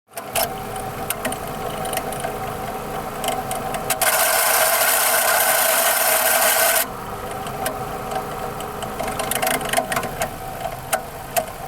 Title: Loud screeching sound on 04 Mazda 6 2.3